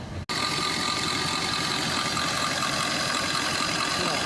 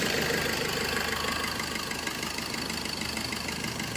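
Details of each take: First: Suzuki Swift Dzire AMT diesel holding about 1500 rpm with no throttle and vibrating, AC not cooling, engine coolant temperature sensor circuit code set; a steady buzzing high idle. A test sensor didn't clear the code; the wiring is still to be checked. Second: Suzuki Swift Dzire AMT diesel after repairing a wiring harness shorted to body that set an engine coolant temperature sensor circuit code and caused ~1500 rpm variation and no AC cooling; codes cleared, now steady even idle, no misfire or surging.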